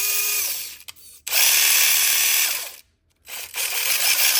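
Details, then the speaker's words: FMS Chaser 1/24 RC rated for 2S, running on 3S LiPo after tightening a backed-out rear gear screw: high whine rising and falling with throttle, with gritty grinding on top; gear whine and grinding. "Still sounds like the devil inside, but it will run on 3S, so that's pretty sweet."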